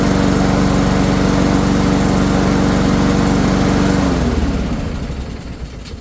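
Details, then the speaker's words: Honda-engine Troy-Bilt 21-inch push mower after carburetor cleaning and filter service. Even, crisp putter at constant speed for four seconds with no surging or misfire, then a clean wind-down at shutoff. "And in a few seconds I'm going to show you how the mower will start up and run perfect."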